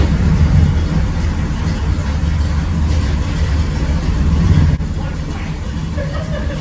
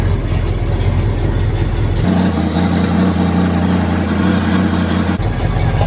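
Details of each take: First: 1979 GMC Caballero big block, after the leaking header-to-exhaust donut joint was repaired: a deep, steady burble and a clean rev with no ticking or puffing. The exhaust now sounds sealed and normal. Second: Exhaust leak on a 1979 GMC Caballero (G-body) big block V8: loud, deep rumble with a raspy, tractor-like chuff, caused by a loose header-to-exhaust donut that moves by finger.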